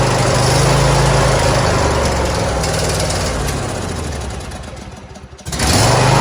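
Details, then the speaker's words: John Deere D140 lawn tractor being restored, started on choke after the gas tank was cleared; the small single runs with a quick, regular putter, briefly sags, then picks straight back up, sounding healthy. "yeah it sounds really good I'm not a problem with this d140"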